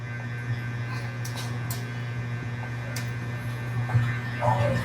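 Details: Crown CA560 power amplifier, noisy with its indicators lit: steady low mains-pitched hum with a few faint clicks. Amplifier hum, cause not yet found.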